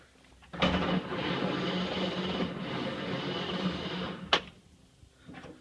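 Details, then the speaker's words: 1931 Ford Model A, 6-volt on charger, unstarted 10+ years in barn, carb cleaner used, crunchy points cleaned; about four seconds steady starter churning, never catches; no spark, ignition coil found failed. "I don't think it's firing so let me take a look at the points again"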